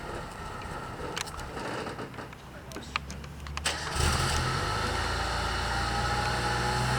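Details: Non-running Mazda Roadster (Miata) NA after all four injectors replaced, finally started: catches and settles into an idle that wavers slightly over a faint whistle; rough idle, air leak suspected at a gasket or shaft, being checked with carb cleaner.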